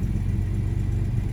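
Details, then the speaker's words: 1975 Jaguar XJ6 coupe (XJC), US California spec, long-sitting, cold on water chokes: steady deep rumble at fast idle, no tappet noise, strong oil pressure, charging; over-choked and rich, won't idle unaided. "It's charging. Doesn't really want to idle. Definitely over choking a bit."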